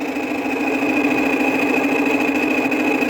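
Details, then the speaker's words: Worn fan motor bearings on a neglected 2000 Whirlpool 6000 BTU window air conditioner, left two years on a porch: constant rough hum, steady high whine and grating edge while cooling; bearing noise described as intolerable. "bearing noise is not is a lot worse compared to shot bearings on a modern unit chop bearings on a modern unit are actually tolerable this one is not tolerable at all i can't deal with this"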